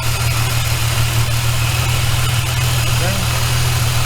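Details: VY Commodore with supercharged L67 engine at idle: a steady hum with a faint rough rasp at a drive belt pulley whose bearing is worn; the double pulley is to be replaced.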